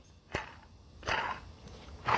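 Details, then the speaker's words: 2008 Buick Lucerne 3.8L, old water pump removed and spun by hand: rough, gritty growling from a worn pump bearing, the growl the car had been making; the pump was also leaking and is replaced. "All right, and this is the old pump. Pretty shot. It was making the growling noise. Let's see if I can reenact this noise."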